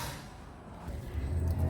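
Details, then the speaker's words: Nissan Elgrand E51 3.5L V6, about 195,000 indicated, after emergency weld repair of the sheared catalytic converter pipe and flange, reassembled with shield back on: soft, even low exhaust rumble, no puffing, ticking or blowing; quiet, sealed. "All done. All hidden up in there again and everything hooked up the way it's got to be, and the big plastic shield back on. And it's as quiet as a church mouse."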